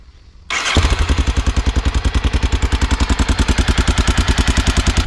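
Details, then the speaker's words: Honda Dominator 650 motorcycle with a broken engine, stopped mid-trip after cooling down: engine catches into heavy fast thumping with loud rattly clatter, sounding very loud; cause known to owner but unstated, parts needed. "ne peux pas faire tout le chemin du retour comme ça ça sonne si fort alors je la laisse se calmer maintenant"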